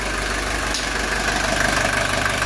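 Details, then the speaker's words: 1982 Mercedes 240D diesel, started cold after a valve adjustment; it fires quickly thanks to good glow plugs and shows good oil pressure. Steady, even diesel clatter at a settled idle with no misses. Idling cleanly. "you can see how quick this engine comes live here got good glow plugs"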